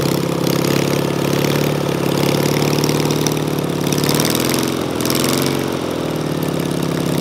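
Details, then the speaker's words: Engine with a Solex 30 PICT carburettor after a stuck pump ball valve was freed and the needle valve replaced, started on full choke: ragged, uneven idle with lumpy stumbles and wandering revs; still misfiring, fuel leak noted. "that sounds freaking like a vw beetle engine doesn't it you just need a little bit of tweaking"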